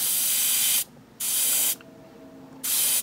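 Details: New Gaahleri Studio GHAD-39 Advance airbrush first test spraying thinner through 0.5 nozzle: three strong clean hissing bursts, each cut off sharply, even flow with no sputter; spraying properly.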